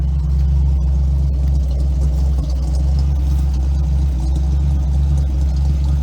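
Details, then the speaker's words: 1969 Ford F100 carbureted engine with electric assist choke, about 140,000 miles, first start after five months sitting over winter: steady even low rumble, no knocks or misses, at high idle on choke while warming up; thermostat replaced this summer for overheating. "it's running pretty good too the choke's on so it's at a high idle right now but i'm gonna let it warm up see if the thermostat opens and then i'll move it"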